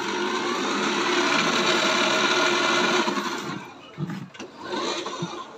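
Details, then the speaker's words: E-bike motor running after its rat-chewed wiring was repaired and wrapped, with the battery plugged in; a steady even hum for about three seconds, then spin-down with handling noise and no grinding. "Okay, yun, ang ganda na mga ka-DIY."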